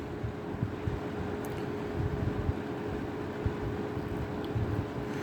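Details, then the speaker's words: Vintage 1983-1984 Sears 453-812100 20-inch Lasko-made thermostat box fan on low speed: soft airy rush with a faint, steady motor whine and nothing rattling or ticking. A normal, good-running fan. "Yeah, it's pretty quiet other than the whine. Which honestly, I kind of like the motor whine. I could fall asleep to this. Good running fan."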